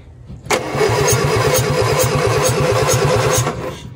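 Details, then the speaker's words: 1961 Morris Minor pickup with a jump pack connected after the starter failed to engage: even, brisk cranking about three and a half turns a second for three seconds, no dragging or clicking; normal cranking, fuel not yet checked. "engines turning over nicely next thing we need to do is see if we have fuel"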